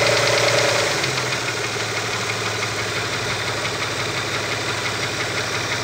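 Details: Opel Omega B at steady idle with sharp metallic top-end tapping about four a second from the exhaust camshaft on the second cylinder head; exhaust camshaft knock.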